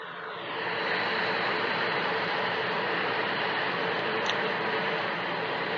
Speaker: 아이워치 이제 노면을 달리고 있을 때 타이어와 노면과 어때 이제 마찰에 의해서 발생되는 소음 진동이 운전석 문 전자키 위치까지 전달된 것을 로드 노이즈 라고 할 수 있습니다